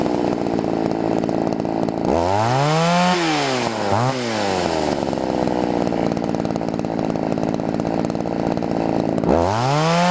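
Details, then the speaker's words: Two-stroke chainsaw with air filter on, carburettor being tuned: idle drone with revs rising and falling unevenly on throttle blips, breaking up when too rich, hesitating without fuel when too lean; carburettor mixture out of adjustment. "okay that's it I actually just got it to nut butter at first it was too much and it kind of sounds it breaks up the second time I ran it to lean and when you squeeze the throttle it doesn't have any fuel"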